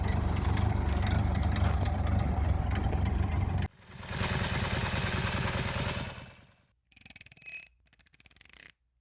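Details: 1930 Ford Model A Tudor barn find, first drive after 40+ years stored, following head gasket, wiring harness replacement and oil pan cleaning; steady low thrum under way, then lower idle with short blips, smooth with no tapping; normal running.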